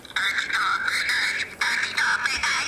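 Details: Silver Dalek toy voice box after being reassembled with the needle refitted and lubricated: synthetic voice phrases play at steady pitch and even speed with no drag or slurring; the little record-player mechanism now works properly.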